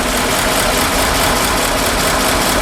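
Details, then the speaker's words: 1952 Ford F4 farm truck, 43,000 miles, mild restoration, engine said to match the 8N tractor's, with mechanical fuel pump and one-barrel carburetor: a steady, even idle with a soft tractor-like thump and no misses. Normal. "I think this was the same motor that they put in the 8N tractor, and it has kind of a tractor motor sound to it, kind of a thump, thump, thump, thump, thump."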